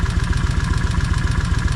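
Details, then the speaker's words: Vulcan 1600 motorcycle idling after battery replacement, engine being broken back in and not revved: fast, even clatter of about eleven knocks a second on the low idle, louder again; noisy top end suspected, unconfirmed. "And the thing is, I don't want to rev the motor much because it's been set. And see how that noise come back a little bit louder?"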